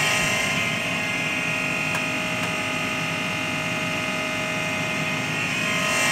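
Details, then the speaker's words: AEG Lavatherm 56800 tumble dryer after a relay swap on the circuit board; the motor had previously turned only one direction. Now a steady, even motor hum and constant whirr with no grinding or knocking, so the motor runs normally. "okay so now it's working seems like it's working"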